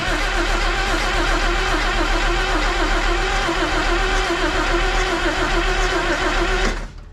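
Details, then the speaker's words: 1962 AMC Rambler wagon left for decades, cranked on the starter powered by a charged battery: even spinning with no dragging or skipped beats, then it cuts off. Everything moves nicely and that cylinder now has compression. "we're just going to cycle this with the starter a little bit and see how it acts going just a little bit faster here we go bad connection try again here we go"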